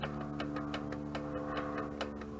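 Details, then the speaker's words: 1978 Toyota pickup/Hilux after a clutch job, adjustable slave cylinder push rod set so the release fork just touches the pressure plate fingers: light, even clicks about three a second over a low hum, correctly adjusted. "Hear that clicking? That's perfect."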